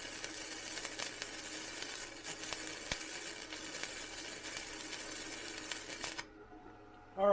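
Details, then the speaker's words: Vevor MIG 130 flux core welder raised to 55, flat bead: a steady, even crackling sizzle for about six seconds, then it stops; much better, though possibly too hot for a gapped butt weld. "right that's a lot better now on something like a butt weld where I've got some Gap that might be too hot but for there that felt pretty good"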